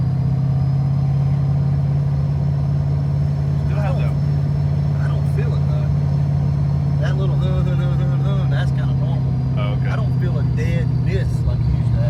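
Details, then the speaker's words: Supercharged Fox body that lost power after Trick Flow heads were fitted with a custom ECU, running after the found problem was addressed: strong, steady drone with an even firing beat and no dropouts; sounds normal, power gain uncertain. "yeah that sounds normal now whether the power is back or not I don't know but that sounds normal"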